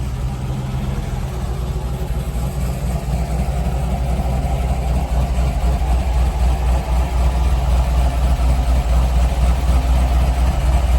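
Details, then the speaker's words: C5 Corvette Z06 back running after repairs, RPM gauge not working: V8 idles with a steady, even lope of about four pulses a second, then rises and falls cleanly; normal idle and revving. "It is what it is. Sounds good though."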